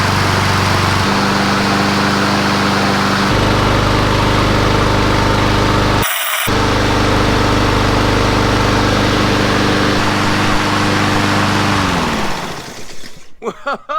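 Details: Honda HRN216VKA lawn mower with a newly installed hour meter: the small single-cylinder engine buzzes at a steady speed with an even note, then winds down smoothly, running healthy.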